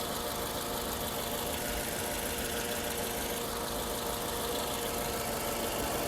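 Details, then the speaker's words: 2014 Toyota RAV4 after a crank-no-start repair with water found on wet spark plug tips and rocker arms redone: the engine idles with a steady, even hum, no knock, tick or stumble, and no dash warning lights, so it now runs normally. "And at this point, I have coupled the engine and it's running perfectly."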